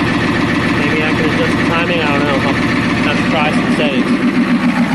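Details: Ford F350 with 6.9L IDI diesel after injection pump replacement and bleeding the air out; steady diesel clatter at idle, roughly 214 even beats a minute with no clear stumbles, though owner suspects a dead cylinder. Normal diesel idle.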